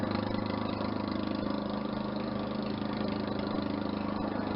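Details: Push mower after an engine swap, first start, no muffler fitted: loud, open, raspy single-cylinder beat holding steady speed without stumbling; running normally.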